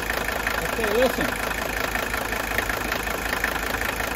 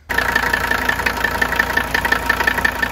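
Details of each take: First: 1983 Mercedes 300D, OM617 diesel, healthy comparison engine at idle: steady idle with light quick ticking wandering in and out about four a second; ordinary intermittent injector nailing, normal. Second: Just-acquired 1981 Mercedes 300TD, OM617 diesel, at idle: a regular deep knock about twice a second, judged heavier than normal injector nailing and persisting off idle. Bad or old fuel is suspected, not confirmed.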